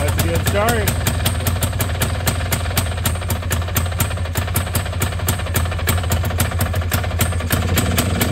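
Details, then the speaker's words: 1989 Honda Pilot FL400R two-stroke after engine rebuild, cold start on choke: runs fairly evenly with crisp steady pop, no rough bearing noise that was heard at an earlier start; normal running. "that sounds a lot better before when I got this thing started up The First Time One it wouldn't idle very well"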